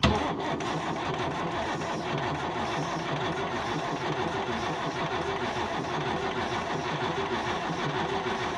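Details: Isuzu 6BB1 diesel in a 1975 Chevy stepside, sitting since 1992, injectors loosened to check delivery: starter turns engine in a steady, even churn without firing and no fuel at injectors; pump being bled, fuel delivery problem.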